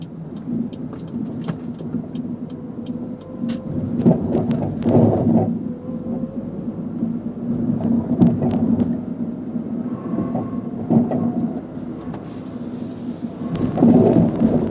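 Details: Car driving over small bumps: irregular dull knocks from the rear passenger side, caused by a worn rear shock absorber; solved by replacing the shock.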